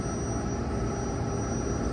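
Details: Turbo Air walk-in freezer, R404A, roof-mounted compressor: smooth, even low hum without clicking or stalling, starting and running normally after the failed Supco 3-in-1 hard start kit (no current passing) was replaced with a new one.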